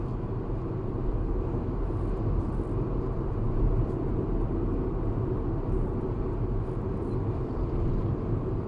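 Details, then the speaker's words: Proton X50 on its second test drive, at cruise around 70 with heavy traffic: a steady low rumble with no whistle or flutter, confirmed as ordinary tyre noise, not wind noise. "Okey, bunyi dia datang daripada tayar Bunyi dia datang daripada tayar. Bukan daripada angin daripada tayar."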